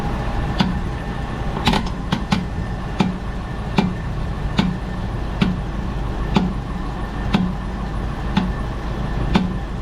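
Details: 2012 Dodge Durango Citadel on a jack, in drive and held under torque load, recorded at the rear axle: sharp pops about once a second over a low steady drivetrain hum; dry, worn rear CV axle joint, later greased.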